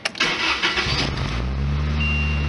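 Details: 1991 Lotus Elan after a cooling system fix, with new radiator drain plug and heater valve fitted and antifreeze refilled: a short crank, then it catches within a second into a steady, even idle with all four cylinders firing.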